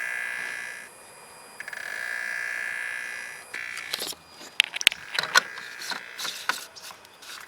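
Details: BMW N54 electric water pump, run by holding the gas pedal 10 seconds to trigger pumping: steady high-pitched screech, stopping and starting, as the pump strains to push coolant to the reservoir without circulating; failing electric water pump.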